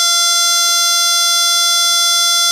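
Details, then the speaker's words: Samsung LN40A550 LCD TV power cycling on its own with a steady, piercing high-pitched squeal and lines on the screen; the fault is the main board, and replacing it fixes it. "just turns on automatically and starts power cycling sometimes you hear this um like squeaking noise and lines on the TV"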